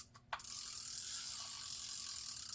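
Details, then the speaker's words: Vintage Garcia Cardinal 754 fishing reel after anti-reverse repair: light rapid gritty clicking and whirring as the reel turns; gear growl from slop in the pinion/rotor shaft and handle shaft. "It's got a little slop there in the pinion shaft, rotor shaft. Got a little slop in the handle shaft, so all that slop combined is causing that growl."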